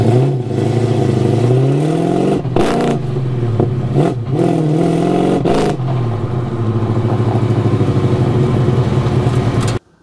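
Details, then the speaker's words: GTO with HEI distributor at an autocross track: it pulls, then repeatedly stumbles, loses power and cuts out under throttle before catching again, later failing to restart. Ignition misfire, with the HEI distributor suspected. "Crazy behavior, right? So the car is basically falling on its face, no power, misfiring it sounds like."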